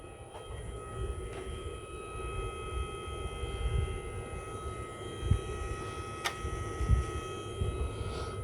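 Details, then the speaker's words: EGO 56V Power+ battery charger fan while charging a battery: steady whirring with thin, constant whine tones. It is kind of noisy but normal. "It is kind of noisy."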